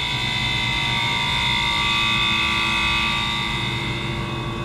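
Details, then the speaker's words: Water-cooled walk-in cooler, after rewiring the compressor connections (breaker kept tripping): compressor starts and holds a steady, even hum with constant tonal whine, no knocks or stalling, about 21 back pressure and 160 head; normal running. "i hear the compressor start [Music] now that is a beautiful thing"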